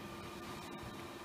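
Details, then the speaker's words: Dell XPS 600 desktop (circa 2006), heard from close behind the case while booting toward Windows XP: steady, even rush of air over a faint constant hum, no rattle or pulsing; lots of air drawn through the fans; normal airflow noise. "is quite a bit of air being drawn through those fans over there"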